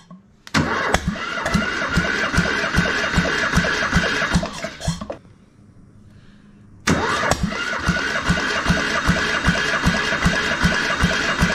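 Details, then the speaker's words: Military surplus diesel transplanted into a RAMX hydraulic trench compactor, replacement starter: two long cranking bursts with compression thumps about two to three a second; no start because fuel system not yet primed past the pump. "so we're gonna go ahead and crank it over until we get some fuel coming out of here"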